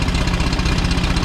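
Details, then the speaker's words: Turbo VW Bug engine, same fault as the day before: loud idle with uneven, lumpy beat and stumbling low thumps; owner suspects misfire, possibly heads or pistons; oil leaking. "Yeah, it's not sounding good. That's exactly what it did yesterday."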